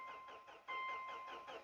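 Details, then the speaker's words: Turbo Subaru Outback XT on a freshly installed battery in cold weather: steady starter chugging with a warning chime and a prolonged crank before the engine finally catches. "Huh, it's got kind of a long crank. There we go."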